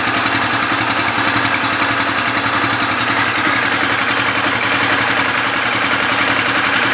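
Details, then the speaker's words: 2013 Yamaha New Vixion engine after rebuild with new block, piston and parts (knock traced to piston and block, not crankshaft); quick even idle with steady beat, no tapping or knocking; runs smoothly. "lelei ma lamolemole le afi, bro, siaki le leo lea ua lelei, uo"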